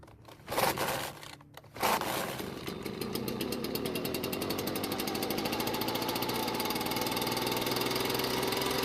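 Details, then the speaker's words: Ryobi backpack blower, rated 510 CFM, running on fresh store premix and warmed up, before carburetor adjustment: the two-stroke climbs slowly and hangs below full speed with an uneven, labouring buzz. Not reaching full speed, delivering roughly 300 CFM. "However, on this particular unit, it's probably doing about 300 CFM because it's not getting to full speed, which is our main problem."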